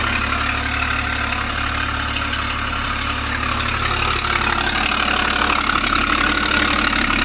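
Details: 2012 Ford Falcon FG XR6 Turbo idling with a fast, regular puffing tick and sharp hiss on top: exhaust leak.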